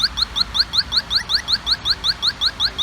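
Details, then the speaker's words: Pittsburgh Automotive electronic halogen refrigerant leak detector (Harbor Freight 92514) nozzle near the A/C evaporator drain, pulled away: even chirps about three per second at a relaxed pace; faster beeping means closer to the leak, slow beep is away from it. "Now just pay attention to the beeping. The faster you hear the beeping, the closer you're getting."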